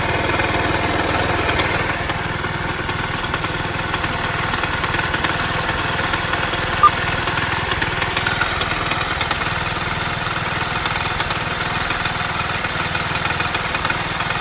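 Idling engine with a fast, light tapping riding over the run, roughly three a second, steady at idle; knock present, source undetermined.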